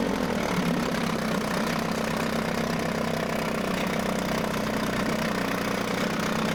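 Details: Mercury 9.8 hp 110 outboard after clearing a clog in the pee hole and adjusting idle: a smooth, steady buzzing idle with an even beat and no stumbling or knocking. It is a normal, clean idle.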